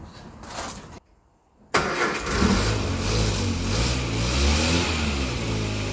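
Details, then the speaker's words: Just-started 1961 Morris Minor Traveller after head gasket replacement and head refit, coolant refilled: brief cranking, a pause, then catches and settles to a steady, even idle with no knocks or misfires; normal start, head to be re-torqued when warm. "there you go she started"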